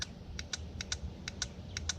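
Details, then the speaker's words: 2013 GMC Yukon Denali AutoRide (z55) air suspension compressor relay bench-tested, pins 86 and 85 jumpered to battery: crisp paired clicks about every half second as power is touched and released; relay pulls in cleanly; normal relay click. "So that tells me this relay is functioning correctly."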